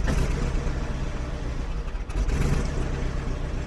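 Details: 2001 BMW 740iL cold start after sitting about 10 days at -10 to -25°C: lumpy, shaking idle with a stumble and rpm jumping up and down; caused by moisture in the fuel. Cold start misfire with rough idle.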